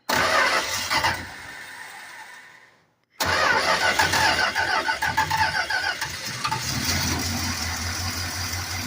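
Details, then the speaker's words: 1968 Fury III with a 318 engine, newly fitted carburetor (inverted fuel line), primed with a little fuel down the carb throat. It cranks, dies briefly, then fires with uneven popping and settles into a rough but steady idle. "You put a little in the carburetor itself, down the throat, but just a little down there, and we'll try it one more time."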